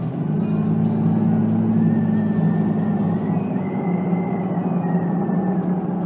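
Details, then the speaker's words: Front Runner Slimline II roof rack on new 5th gen 4Runner TRD Pro while driving: thin whistle near 2 kHz drifts in and out over road rumble, getting much louder, audible over the radio. "whistling and it gets much much louder it's incredible the amount of work i had to do to get this thing on this particular truck including drilling holes and it whistles so loud you can hear it over the radio"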